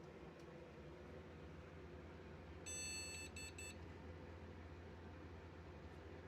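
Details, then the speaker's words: Desktop PC that won't POST as soon as power is applied to the graphics card; over a steady fan hum the speaker clicks and gives one long and two short beeps, a graphics card error; PSU to be tested next. "Soon as I apply power, it don't want to post. It's trying. It's the uh that's the speaker you can hear clicking."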